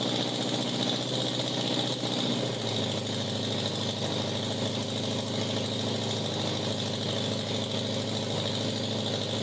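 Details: 1987 Honda Gold Wing GL1200 with electrical issues: intermittent cranking, exhaust backfire at key-off. Loud, raspy open-pipe idle with an uneven, stumbling beat and an early pitch shift; rough running, cause unconfirmed.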